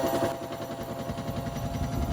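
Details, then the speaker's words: Hotpoint WMXTF942P washing machine at full-speed spin with a full wet load, covers removed; heavy rhythmic thumping and rattling, drum shaking excessively. Worn suspension dampers, more than likely dry. "As you can see there, it's vibrating quite a bit at full speed with the full load."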